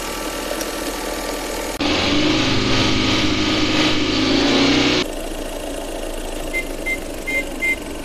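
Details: Changan Karvan that revved high and surged on its own, both electric chokes faulty; throttle cable adjusted to set rpm manually: a short rev, then it drops back to a settled, even idle with no hunting or surging.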